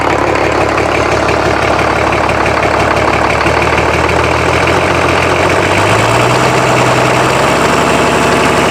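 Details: Rebuilt BMW D190 marine diesel, previously seized and sunk, first start with no coolant, run under a minute: loud, steady chug that lifts slightly in speed, no knock; builds oil pressure, injection pump working, normal idle.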